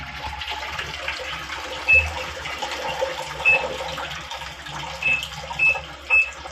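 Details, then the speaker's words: Midea 6.5 kg washing machine MWMTLO65ZOY, few days old: water keeps gushing and overflowing from the pipe, wash never starts; pressure hose bent so level not sensed. "तो अभी पानी पूरा भरने के बाद भी पाइप से ओवरफ्लो हो रहा है, पानी निकल जाता है।"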